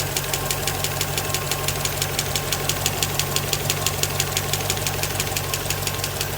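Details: 1963 Impala 327 small-block V8 idling: crisp, sharp tick about six times a second over a steady low idle, from right side valves.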